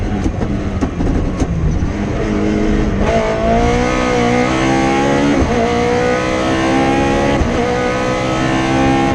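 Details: Rally car on the Padmore Village to Golden Grove stage, Rally Barbados 2017, its note climbing cleanly and evenly at full throttle with crisp pulls between gear changes and no stutter: running healthy under load.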